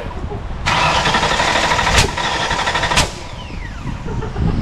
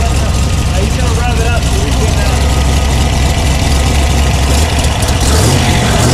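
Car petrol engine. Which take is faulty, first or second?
first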